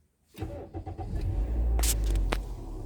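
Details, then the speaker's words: Used Toyota Allion/Premio before test drive: brief crank, catches quickly and settles into steady low run with no stumble or misfire; clean, smooth start. "start is smooth, and we'll move on to the drive straight away."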